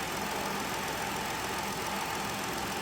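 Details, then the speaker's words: 2011 Ford Explorer with #5 cylinder misfire code, after new spark plugs (old ones ~300,000 km) and PCV valve: starts without hesitation, steady even idle, running cleanly. "it actually started a bit different as soon as this started there was no hesitation whatsoever [Music] that must be a good sign"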